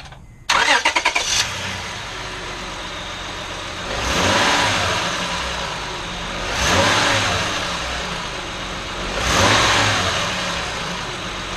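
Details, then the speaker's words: 05 Honda Odyssey after temporary fix (twine binding loose catalytic converter heat shield): engine starts, idles and takes four clean revs with no metallic rattle from the exhaust. "it there you go guys uh very simple very cheap uh I fixed quite a few few vehicles that way with a heat shield Rattle"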